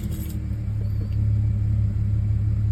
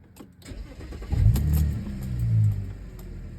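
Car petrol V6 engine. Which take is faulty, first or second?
first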